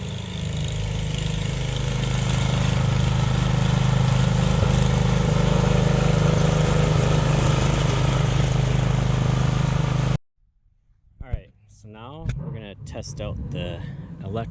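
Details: Jacobsen Chief 1000 tractor with Kohler K241 single-cylinder engine, after new fuel line and freeing a sticking carburetor float needle that blocked fuel; steady even low-pitched thrum running smoothly for ten seconds, then shut off; healthy running.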